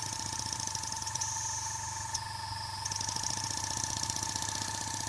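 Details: Newly built Corsair (Edgar T. Westbury M27) live-steam stationary engine on its first run on an air hose at just under 10 psi. Light, even exhaust beats about four a second over a steady air hiss; it runs smoothly.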